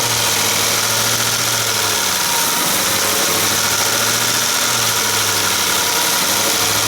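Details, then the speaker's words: 2017 Ford F-150 5.0L Coyote V8 that a shop said needed a new engine, revved to about 1500–2000 rpm: a distinct light clacking over the drone. It is heard at the intake manifold and not elsewhere on the engine, so it is an intake manifold rattle. "that's a distinct clacking now back here this is our intake manifold this is where i'm hearing the sound"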